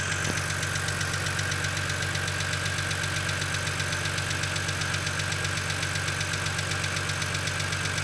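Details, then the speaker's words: BMW Z4 3.0si coupe with N52 inline-six, cold start: fast, even light ticking over the idle, typical hydraulic lifter tick as lifters are unadjusted while the engine is cold. "I'm not completely sure if the M54 m52 suffer the same problem with lifter tick but you know you'll get a good idea of what it sounds like and uh kind of you know what to look for when it comes to lifter [Music] tick"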